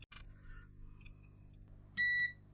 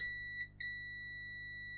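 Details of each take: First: Bush DAB radio that powers up but won't respond, power button tested with a multimeter continuity beep: four high beeps at uneven gaps, contact made only on some presses, no continuous tone when held; intermittent tactile switch contact. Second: Bush DAB radio that won't power on: a multimeter continuity test on the power button gives a clean, steady beep while pressed on this button, which works, while another button fails to give a continuous beep and is the fault.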